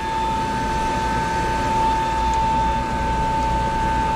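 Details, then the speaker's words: Three-phase domestic water pump (floors one to six) running in the correct direction, drawing 11.8 A against a 16 A overload cutout. Steady high-pitched hum with an even whirr, no grinding or rattle. Normal running. "we got 11.8 amps this pump is now running in the correct direction"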